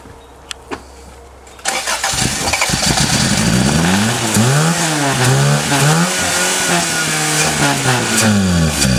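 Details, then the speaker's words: 1988 Toyota Tercel 1.5 litre carbureted automatic that stalled after running poorly, fuel poured into the carburetor: uneven, wavering cranking for several seconds without firing; no start, owner concludes it is not getting fuel despite a new fuel pump. "well that's 30 so it's safe to say it's not getting fuel well we're going to go get a section of fuel holes just to just to make sure that the fuel pump is"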